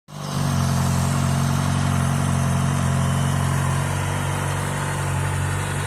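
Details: Kawasaki Ninja ZX-6R, very low mileage, new TÜV inspection, recorded for sale before polishing: steady, even idle with a smooth low burble and no knocks or ticks; normal idle.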